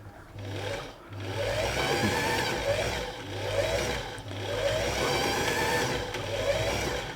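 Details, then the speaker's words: Singer 328P sewing machine: motor whirs in uneven surges, speed sagging and catching; bobbin winder slipping, likely from too much oil contaminating the winder ring and hand wheel; ring may need replacing; thread also caught. "So you can see the bobbin winder is slipping now, and that's mainly because probably a little bit too much oil."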